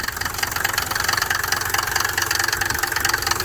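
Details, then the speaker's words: Gambler 500 project car, engine running at idle: loud rattly clatter pulsing about twice a second over an uneven idle that sounds close to stalling; described as the valve, cause unconfirmed; glow plug relay to be checked. "No, it almost sounds like it's gonna stall out. That's how they sound now. That's the valve."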